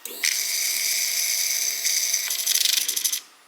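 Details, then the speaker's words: Suzuki GSXR 600 project bike at key-on: about three seconds of high whirring ending in a quick run of ticks, then it stops. Owner had thought it was the fuel pump and now believes the part is working as intended; source unconfirmed. "So that funky noise that I've been hearing that I thought was a fuel pump, is this."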